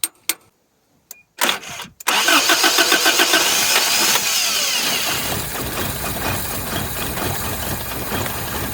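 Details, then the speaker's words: 1983 Toyota 22R, sat 20+ years, float needle tapped: a few cranking bursts, then the engine catches and runs rough and uneven for seconds; no fuel reaching the carburetor bowl, fuel starvation. "still don't see any fuel in the bowl"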